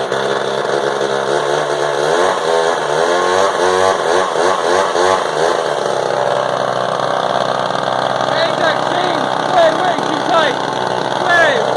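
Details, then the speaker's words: Frounteir Mark 1 chainsaw, a Husqvarna 35 variant, after it needed help to start: loud, crisp two-stroke buzz rising and falling cleanly with the throttle, no misses or stumbles. Normal running. "That's a loud little saw. That is a loud little booger. She need a little help to get going, but I mean, Jesus. Nothing wrong with that little guy."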